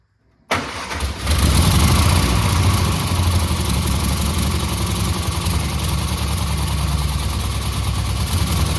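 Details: 1963 Austin Healey Sprite running rough despite the owner's carb tuning; catches quickly then lumpy, loping uneven idle, with one dead cylinder from a valve held open by too-tight valve clearance, not the carbs.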